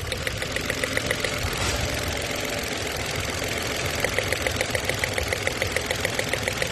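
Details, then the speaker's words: Mitsubishi Mirage with check engine light, scanner showing a cylinder 3 misfire, idling: a regular tick about three times a second over an uneven beat; the coil has power, so a spark plug is suspected. "Yun ang nakita natin sa scanner. Ayan. Misfire ng cylinder number 3."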